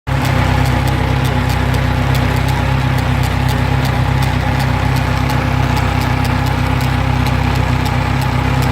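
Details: Kawasaki Z1000SX after new Sunstar sprockets and a DID 525 ZVMX chain fitted per the manual: a steady drone with fast, regular clicks about four a second. The chain and sprocket noise persists despite retensioning several times; cause unknown.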